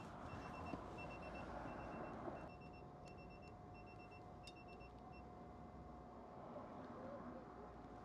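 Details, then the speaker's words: Citroen Ami with an aftermarket tyre pressure monitoring system, sensor just fitted on the rear right valve: quick, high-pitched double beeps repeat in short bursts; it is the monitor's low-pressure warning. "Turn that on quick. That's beeping."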